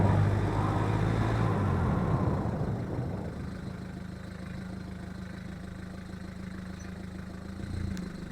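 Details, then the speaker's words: VW Golf Mk1 on a test drive after the brake service: caliper bracket cleaned, pads and slide surfaces greased, slide pins greased. Low engine rumble while slowing, with no brake squeal. The intermittent clunk later returned. "So the brake squeak is gone, but the clank came back after a week."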